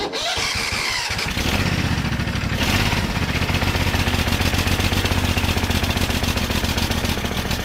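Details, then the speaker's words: Old ride-on mower left outside for five years, now repaired and warmed up: fires quickly and holds a steady, even beat with good compression and no stumbles or knocks; a little smoke, probably oil. "that sounds a minute runs well [Music] a little bit of smoke coming out of there somewhere probably just a bit of oil oh that sounds great good compression plenty of grunt"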